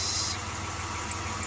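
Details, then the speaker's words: 1993 Dodge Grand Caravan LE, V6: short steady even idle hum, no misses or knocks; normal idle. "I don't know most of this as I got it runs pretty good"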